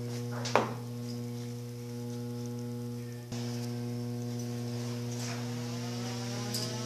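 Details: Electrolux 7.5 kg washing machine that agitates only one way: steady low electrical hum with no turning rhythm, motor stalled in one direction; cause a broken capacitor wire.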